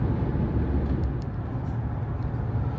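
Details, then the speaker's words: Jeep Grand Cherokee WK2 at about 75 mph, after the fix to the plastic cowl between hood and windshield: only road rumble and wind rush. The cowl is quiet at speed. "this would be the speed where we heard the noise earlier we going to go back here and as you can see now it's quiet can even go a little further now we have more wind noise in the chassis but the cowl is completely quiet"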